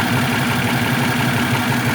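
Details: Rough idle with an uneven low pulsing chug and an occasionally stumbling beat; a possible misfire, not confirmed.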